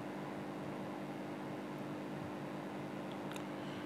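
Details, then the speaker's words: AC indoor unit blower motor that had been running slow, now fitted with a homemade six-wire speed-control circuit in place of the coupler: steady, even mid-pitched hum with no scraping or rattling; normal running. "When you turn it on , you can see that this circuit will do the billing here, which means the motor is running and where it came from on the DC vault, you can see 134000."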